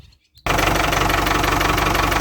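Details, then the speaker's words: Ford 6610 Force II tractor diesel from cold after lift pump checks and replacing an air-leaking water-drain O-ring on the fuel filter: catches quickly, steady even clatter, no misses or hunting; possibly a filter had been seated wrong; normal cold idle. "Strangely, that's the best this engine has sounded from cold in a long, long time. So I wonder if one of those filters hadn't been sitting right all along."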